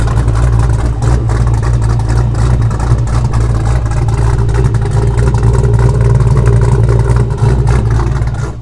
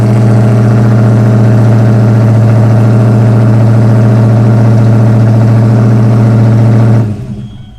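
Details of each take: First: Ford Foxbody Mustang V8 after a new 255lph fuel pump and -6AN line install: deep, even rumble held steady at idle with no knocks, ticks or stumbles; good oil pressure, battery charging, check engine light on, cause unknown. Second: Ford Foxbody Mustang after a new 255lph fuel pump install: fast, steady idle well above normal, then cuts off; the throttle body idle screw was turned in earlier when the old pump was bad.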